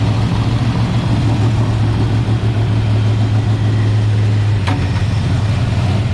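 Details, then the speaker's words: International rat rod truck V8 with a loud, lumpy, uneven idle that never settles, and warm header heat; gas had pooled near the carb, so fuel delivery is suspected. The carburetor badly needs cleaning and is due a rebuild kit. "Yeah, she needs a cleaning pretty bad. It's an easy fix."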